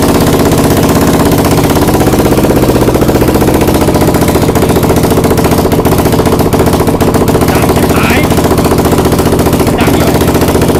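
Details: Exciter690R first start after the build: harsh, rapid open-pipe crackle holding steady at fast idle and on revs without stumbling. The freshly built engine runs fine.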